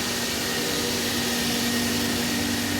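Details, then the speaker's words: Felder H10 CNC router table vacuum pump switched on by foot pedal after the program waits for panel load; steady rushing hiss with faint level whine as the vacuum sucks on, running normally. "press the button when you do that you'll hear the vacuum suck on and it'll also"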